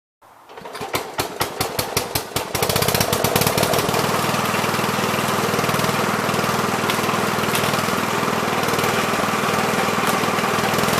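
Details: 1970 Gravely Commercial 8 single-cylinder after years sitting: a few slow cranking puffs, then catches and settles to a steady even beat with no misfires; running decently.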